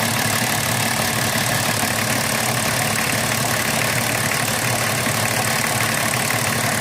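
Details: BMW 325tds E36 diesel after replacing the seals of the Bosch injection pump actuator (R515): loud, rough idle clatter with an uneven beat about once a second; abnormal, cause unclear.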